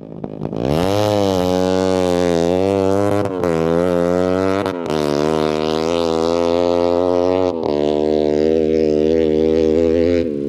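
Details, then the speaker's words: Snowmobile on a frozen lake, rev wedge recently removed: engine held high and buzzing with sharp brief cut-outs every couple of seconds, like a two-step limiter, around 6000 rpm; stutter not fixed on the dyno, cause unknown. "well uh the bike is not really happy it has this like stutter at like 6000 rpm it almost sounds like two-step"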